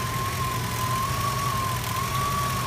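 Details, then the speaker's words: Steady high whistle wavering above a low engine idle, coming from worn alternator bearings. The bearings seem fine when spun by hand or inspected but whistle under load or at speed. An idler pulley was suspected at first. "What was that noise? Oh, it's horrible. It's whistling."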